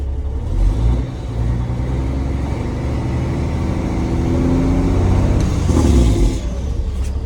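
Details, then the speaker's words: Kenworth W900 diesel with the Smart Wheel deleted and the engine brake switch rewired: deep, heavy rumble that builds steadily with a firm low bark; the engine brake is working on setting three. "sounded like three okay i'll leave it in three position for when i take it off"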